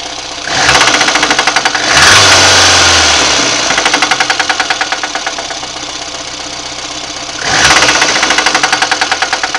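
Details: VAZ 2110 1.5 8-valve engine: quick, steady knocking about four per second, louder and sharper with each rev; engine knock, cause unknown, owner asking what it is.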